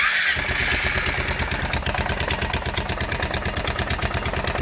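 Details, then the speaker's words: Kawasaki Prairie 360 4x4 ATV single-cylinder engine idling: sharp, regular knock about nine per second, deep in the bottom end; carburetor already ruled out, owner thinks it comes from the main bearings and plans a new crankshaft, not confirmed. "yeah I think definitely it sounds like it's coming from the main so this is probably gonna have to be picking out going to put a new community a new crank in it"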